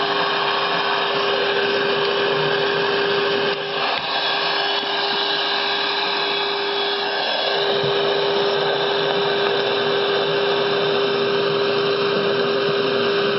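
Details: Vintage Motorola TP81BN transistor radio during FM front-end alignment at 108 MHz, trimmers peaked on weak signal; loud steady hiss with constant mid-pitched tone, sounds overloaded, seems too sensitive; owner suspects failing converter transistor.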